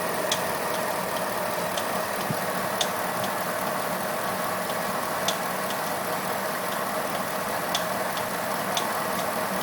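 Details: Pontiac G8 idling after swapping the OEM harmonic balancer for an ATI Super Damper: sharp, light ticks at an uneven pace; owner suspects a pulley now under added tension.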